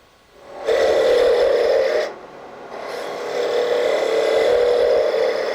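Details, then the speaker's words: Woodturning a Christmas ornament tip on a lathe sped up, with the thin spindle left thick for support: raspy cutting hiss with a fast uneven buzz, tool chatter. Steadied with light hand pressure behind the work toward the tool. "you start picking up a little chatter at this point so you just bring your hand to the side and just get some gentle pressure back in towards the tool steadies things up a bit"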